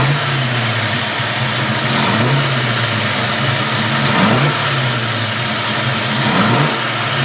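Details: 327 small-block Chevy V8 idling: faint high chirp recurring over the lumpy idle, from the rear of the passenger-side valve train; cause unknown.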